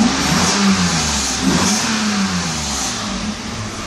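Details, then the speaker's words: 1992 Mercedes S600 V12, early production, both throttle bodies repaired, not in limp mode, air pump running: engine climbs cleanly from idle and settles back smoothly, no stumble or hesitation; very nice throttle response. "actually while at it let me just show you the gas response when the car is not in limp mode so right now idle speed very nice gas response"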